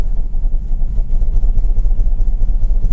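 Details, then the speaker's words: 2010 Mercedes GLK 350 (3.5 V6) with code P0017 (bank 1 exhaust cam retarded), idling during a cylinder cutout test: low lumpy stumbling idle. Cutting cylinders 1-3 changes nothing but cutting 4-6 does, confirming the right bank (cylinders 1, 2, 3) is misfiring. "So it definitely is misfiring on cylinders 1, 2, 3."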